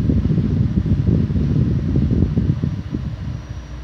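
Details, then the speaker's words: Fiat Fire engine (Palio/Uno/Strada), idling with the AC switched on: a rough low idle that sags and lightens as the compressor clutch engages and drops out repeatedly. AC compressor clutch cycling. "esse barulho aí é o barulho do compressor mando da então ele vai ficar onde está com o problema que eu falei ele fica armando e desarmando toda hora"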